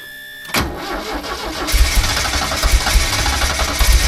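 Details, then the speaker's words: Porsche 924 Turbo revived after sitting 24 years: engine catches, then revs climb and stay up without dropping back or responding to throttle, with possible turbo whistle; high idle, cause not found. "It's definitely something funky going on, you know. Why is it not dropping back down and just giving me like responsive revs? I don't really know."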